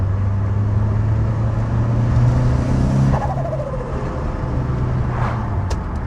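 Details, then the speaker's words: Boosted 2000 RS Cosworth replica on first drive after forged engine rebuild and remote tuning, some turbo lag: engine pulls hard with rising boost whistle that falls away off throttle; healthy turbo spool. "Is that or is that not the best turbo sound ever?"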